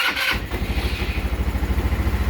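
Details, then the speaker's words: 150cc scooter, fully cold in cold weather, new carburetor fitted to cure hard starting: short crank, catches immediately and settles into an even, steady putter about twelve beats a second; normal cold start. "my friend i have solved your problems what do you think huh i do good work i know let her warm up now you"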